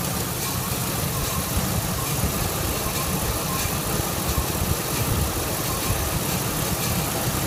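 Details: 2001 Ford F150 after manifold gasket replacement: idle has an uneven, lumpy beat with occasional stumbles under a steady exhaust drone, a misfire on one cylinder; cause not confirmed.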